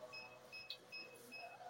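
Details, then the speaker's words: SK-600II infusion pump (SK brand), "System Abnormal" self-test error: with power cable unplugged, repeating high double-pitched beeps about every 0.4 s and it won't switch on; most likely a battery problem. "Jadi pada saat kabel power sudah dilepas, terus muncul alarm seperti ini dan bunyi beep. Terus kita coba hidupkan juga tidak bisa."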